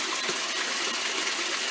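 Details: Whirlpool direct-drive washer with replaced automatic temperature controller (temperature selector switch) filling: steady even hiss, no water hammer or hose jumping; normal fill after fix.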